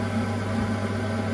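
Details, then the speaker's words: Gas boiler with no heating or hot water, thermostat at maximum: pump spinning, only a steady low fan hum with no spark, click or whoosh of lighting; burner not firing, flame electrode gives no-flame signal. "so pump spinning I can feel that there's the fan you can hear the fan you can see it spin however there is no spark so here there is no spot at all"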